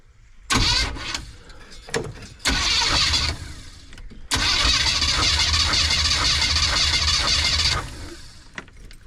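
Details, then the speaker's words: Compression test on the van's cylinder 1, plug out, ignition wire pulled from the distributor so it can't fire, throttle held open: long, even cranking whirr with no firing, reading about 130 PSI; normal cranking, good compression. "all right so you see we have 130 PSI in cylinder 1"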